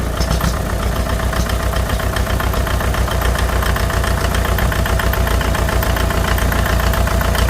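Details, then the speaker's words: 1957 Farmall 450 diesel tractor after injection pump reseal, fired right off while cranking to bleed: steady, even idle clatter with regular firing pulses, no misses or knocks; runs smoothly. "I didn't think she was going to start up so easy um I just went ahead and I wanted to crank it to uh bleed her out and um yeah she fired right off no problem"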